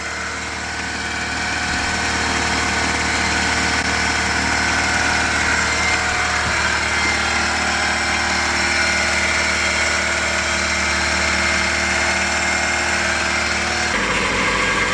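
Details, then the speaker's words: Rebuilt Honda VTEC engine at its first start-up: an even, smooth four-cylinder idle holding a steady pitch, no knocks or rattles and no oil leaks; normal idle. "no oil leaking nothing everything sounds perfect and that's what we wanted to see"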